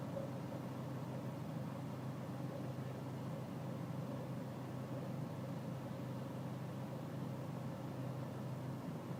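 Quiet diesel idle with a slightly uneven, lumpy beat under the clatter; it idles rough.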